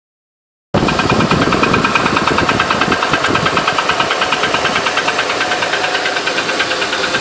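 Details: 2008 Honda Ridgeline at idle: a crisp, even tick, roughly three per second, over a steady idle; top-end ticking, source not pinned down.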